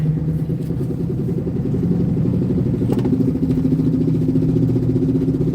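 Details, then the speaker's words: Service truck driving home about 38 miles with check engine light: uneven clacking, roughly two a second, over the road drone; worn rear axle pinion bearing, axle feared close to failing. "not quite sure if you guys can hear that or not but that um loud clacking sound is um the service truck"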